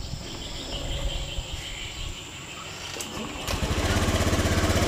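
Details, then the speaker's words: Fuel-injected motorcycle, cold start on the hand starter after a ROTAK replacement for a sputtering problem: it catches and RPM rises to a raised, even fast idle, then drops back down. This is normal, showing the automatic choke/idle sensor is reading correctly. "normalnya ketika mesin Dingin kayak gini itu dia naik dulu terus turun Itu motornya normal"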